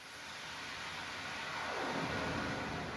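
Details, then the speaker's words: Panda 3.5 cubic-foot portable dryer running after its rattling blower belt was replaced: even airy whoosh as the blower spins up, belt tight with much less bouncing, no slap or rattle; normal running. "And there is a lot less bouncing around of the belt. It's nice and tight."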